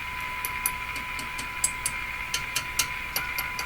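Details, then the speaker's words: Philco 49-501 Boomerang radio during an alignment check, volume up: a steady high-pitched ring over hiss with sharp ticks scattered through it. A microphonic tube is ringing from vibration and can cause feedback. "let's just keep tuning these guys up until something good comes out it there's a microphonic tube in here"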